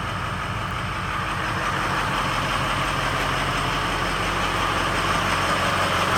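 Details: 2003 Ford F-250 6.0L Powerstroke diesel at startup: loud idle with a lumpy, slightly uneven beat instead of a smooth run, a rough idle or possible misfire.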